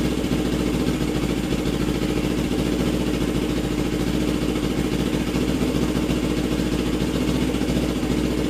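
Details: Custom Suzuki GS450 Scrambler, cold start and warm-up after head bolts re-torqued: steady idle with quick, fairly even firing pulses, no knock or miss standing out; running issue still undetermined.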